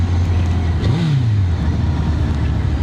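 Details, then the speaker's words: Suzuki GSX-R1000 K1 with its stock exhaust, riding home from its MOT with leaking fork seals: a smooth, even note that rises cleanly through a quick rev and settles with no misses or knocks, a healthy, strong-pulling engine. "I think that's uh it sounds great it really does pull"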